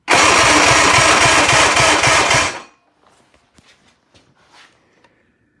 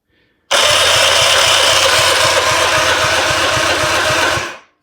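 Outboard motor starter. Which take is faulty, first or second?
second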